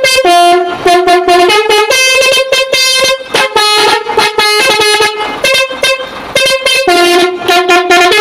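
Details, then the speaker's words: Truck multi-tone trumpet horn (basuri): rapid choppy lopsided run of bright notes with gaps; one horn unit is broken and its note missing, the dead unit to be removed. "jadi ini suaranya pincang ya karena ini ada rusak satu ini"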